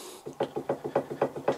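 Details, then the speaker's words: Porsche 911 996 C4S rear suspension arm rocked by hand: sharp wooden clunks about six per second from play in the arm's end joint, which would let the wheel twitch and affect toe; needs replacing. "This one, which it's just got some play in, if you can hear it."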